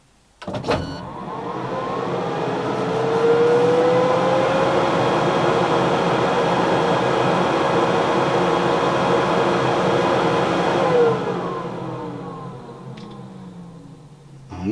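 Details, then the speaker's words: K40 laser cutter after replacing its power switch, powered on via a wireless switch: smooth hum rises, holds steady, winds down, with no crackle or the earlier arcing-like buzzing; normal power-up, fault fixed. "okay let's press the wireless switch and hope that that buzzing has [Music] stopped so far so good"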